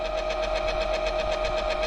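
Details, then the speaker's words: Small four-leg stepper motor rewired as a generator (about 63 volts per leg, aiming at 240 volts) driving a fan: steady mid-pitched hum with quick even throb about eight pulses a second; motor pulling hard under generator load. "You can hear the pull on that motor."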